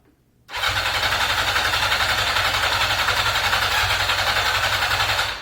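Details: 1982 Yamaha XJ550 Maxim, sat 25 years, carbs rebuilt and cylinders oiled; starter cranks an even four beats a second for five seconds, never fires, no spark at all; ignition module or coils suspected. Cranks but won't start.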